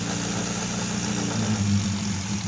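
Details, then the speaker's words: 1988 Nissan Sentra E16i during starting and running troubleshooting; idle hum climbs, then sags and recovers, rising and falling on its own; hunting idle. "Idling up and down. See? Right now it's idling up and down."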